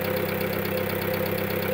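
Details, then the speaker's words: Skoda Octavia 1.4, first start after timing belt failure repair with bent valves replaced and new head gasket: quick even hydraulic tappet ticking over a steady idle, expected to quieten as oil fills them. "Now you can hear some noise from the hydraulic tappets, but after the engine will work a while, it's going to lose that that sound."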